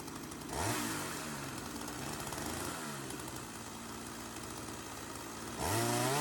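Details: Sachs-Dolmar 100 chainsaw after carb rebuild, suspected air leak, now being tuned: quick throttle blips either side of a steady, even buzzing idle that holds without dying; saw now idles properly.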